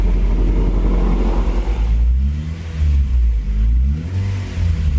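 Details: Freshly rebuilt JDM B18C in a 2000 Honda Civic Si (EM1) just after first start, on conventional oil for break-in of the rings, revved lightly with rpm kept low; it rises and settles smoothly with no rattle or knock and sounds healthy.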